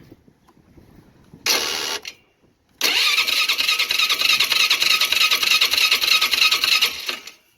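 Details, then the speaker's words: Polaris Sportsman 500 HO ATV, 661 hours, choke on, full tank, booster pack, no firing even with starting fluid: brisk even cranking for about four seconds; spark issue, crank no start. "Well, she doesn't even do a attempt to start with the gold juice, so that tell there's some sort of a spark issue going on."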